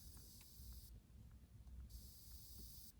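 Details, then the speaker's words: Ozone generator switched on inside a car, placed on the console: sharp hiss in one-second bursts about every two seconds over a quiet cabin, normal operation pushing out ozone before being raised to level three. "don't know if you guys can hear that it's making like a hissing and it is now pushing out ozone"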